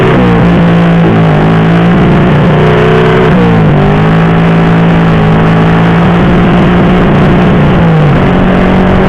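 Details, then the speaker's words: Honda Supra Fit C70 after swapping a PE28 carburetor for a PE24, during acceleration: revs climb, then sag and stumble at mid to high rpm; carb setting, ignition or capacity mismatch suspected, not confirmed. "when we try to accelerate, there is a serious crash, well, there are other factors, Bro, not just the carburetor part, the ignition part could also have an effect"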